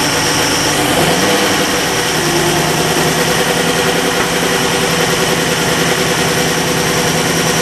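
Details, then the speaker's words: Lamborghini Jalpa converted from US to Euro spec with fully rebuilt carbs, idling about 900 rpm during carb and linkage synchronization: loud busy idle with uneven popping spits through the intake, as a couple of carbs still run lean. "You can hear that a couple of the carbs are still spitting"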